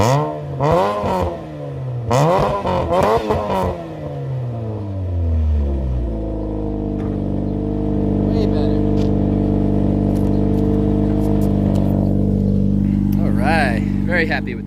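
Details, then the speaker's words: Saturn Ion Redline after exhaust fix: warped flanges sealed with two homemade gaskets plus RTV; quick revs climb and fall cleanly, then steady even idle with no ticking or puffing; exhaust sealed. "I put two gaskets in that I made and then I arty beat it so it'll work I think we should probably give this thing a start though"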